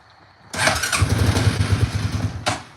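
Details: ATV, 2,500 miles, cold start with no choke, throttle only: fires after brief crank, builds to a rough, uneven rapid chug before easing off; takes long to warm up, then idles and runs perfectly.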